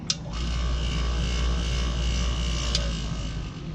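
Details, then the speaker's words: Harbor Freight rotary rock tumbler on day six, fine grit: low rumble with uneven rubbing and knocking several times a second; barrel lid seal popped loose, barrel tracking off, belt apparently broken; belt to be replaced. "what happened is when I had two pennies in the top worked its way loose even though even though the nut was on there tight somehow the ceiling here popped out and you can see how it started tracking like that so apparently it broke the belt"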